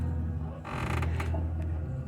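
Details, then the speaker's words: Fiat Palio Fire 1.0 2010, rear suspension noise persisting after tired rear springs replaced; rear axle levered: short dry creak from handbrake cable rubbing axle, stops when cable moved away; was louder when loaded, mimicking tyre hitting wheel arch. "Tá? Aí quando eu afasto, tá vendo? Pronto, a zoada parou. Quer dizer, era bem mais alto, era bem mais alto quando se estava carregado com uma pessoa ou 3 pessoas."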